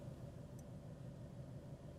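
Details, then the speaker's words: Cheap Chevrolet Aveo with uneven, lumpy idle and irregular low thumps, shaking badly. Suspected to be running on only two cylinders, with code 16 shown but the engine light off; owner suspects spark plugs or coil pack, not confirmed. "oh this is that sounds terrible I think we're down to two now and we've got an error code"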